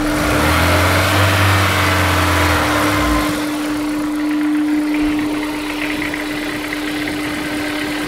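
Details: Honda S2000 cold start: engine catches and settles into a fast cold idle with a faint, fairly even tick about four times a second; owner suspects rod knock, not confirmed.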